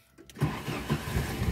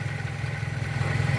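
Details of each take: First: Used Pointer 1.8 in neutral, possibly cold: hesitant cranking pulses catch, then a low idle of about 800 rpm wavers and shakes. The cause is a missing ignition part. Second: Pointer 1.8 after the two terminals of the missing bridge part were jumped with a wire: the shaking is gone, with a low, even hum as the idle stabilizes.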